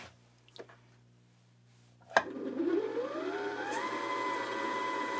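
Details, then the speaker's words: Janome JW8100 sewing machine, new out of box, bobbin winding via foot pedal on top-loading bobbin setup: motor whir ramps up smoothly then holds a steady hum; winder works but runs a little slower than desired. "i like how it kind of ramped up the speed there [Music] it's not bad i will say it's a little slow this is you want bobbins to wind a little bit faster than this but it's not too bad"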